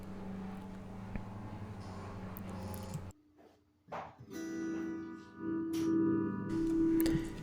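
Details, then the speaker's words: Roland JC-50 Jazz Chorus guitar amp: output cuts out and returns with crackle, sounds like a scratchy pot but isn't; dies when chassis is tapped; intermittent crackling from a loose internal connector. "it it almost sounds like a scratchy pot but it it's not"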